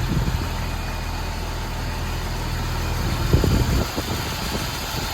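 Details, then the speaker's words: Jeep Wrangler TJ idling after a full tune-up with new plugs, wires, distributor cap, rotor, fuel injectors and heat shields: a steady, even low idle with no stumble or misfire, quieter than before; healthy idle. "Seems to be running pretty smooth. No misfire or rough idle."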